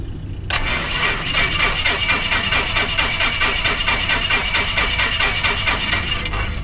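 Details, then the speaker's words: Beechcraft Musketeer, dormant six months, shower-of-spark ignition: steady starter cranking about six seconds with no firing or pickup; no fuel reaching the engine, later traced to the fuel selector being in the wrong position. "there okay I'm pretty positive there's no fuel go into it"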